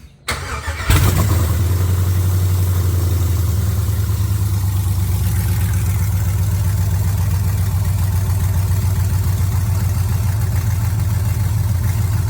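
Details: 1979 Camaro with LS swap, started after reseating the transmission harness plug that had caused codes; brief crank, catches at once, settles into smooth, even idle with steady low rumble; normal start and idle.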